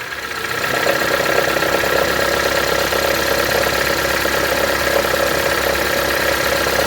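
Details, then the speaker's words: Honda (Civic/HR-V type) idling: a fast light tapping of about four per second sets in when shifted into drive or reverse. The belt tensioner has play and needs replacing. "Tensor, cara. Você não faz isso de jeito nenhum com ele. Ó, o que nós tava conversando. Ó a folga."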